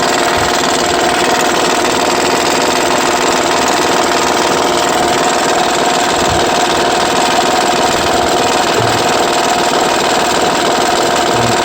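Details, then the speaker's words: 2009 Honda Pilot 3.5 V6 running. Constant uneven metallic rattling clatter that stays with the engine. Owner suspects the timing belt tensioner. "2009 honda pilot 3.5 el motor detectó a problemas de que hace un ruido parece que en el tensor de la de la banda"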